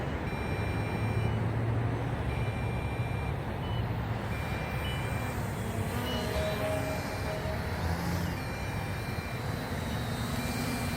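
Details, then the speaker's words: MJX Bugs 8 quadcopter flying outdoors: short high beeps repeat steadily over rotor buzz as the quad and transmitter both alarm, with lights flashing; low battery voltage (LVC) warning beeps. "I'm getting the lvc warning down though let's see if the quad is beeping now you guys can hear that and the lights are flashing too so now the transmitter and the quad alarms"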